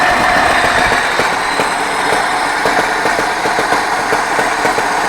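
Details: 24D engine idling with irregular sharp tapping, roughly three or four knocks a second, over a busy hiss; knock, cause unknown.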